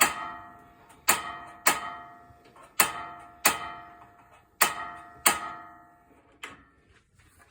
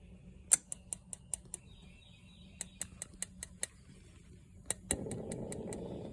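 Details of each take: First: RV propane stove after storage: sharp metallic igniter clicks repeat about eight times while burner fails to light until dead propane air is purged from the lines; then it ignites. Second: RV absorption refrigerator switched to propane during spring system checks (unplugged from AC power): sharp ticks in bursts about five a second, then a soft rush as the burner lights with blue flame; normal igniter operation.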